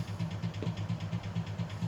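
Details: Plantation Fan Company ceiling fan with universal motor, tested as-is: low pulsing rattle about four times a second, steady in both directions and no better in reverse, from a loose stationary shaft.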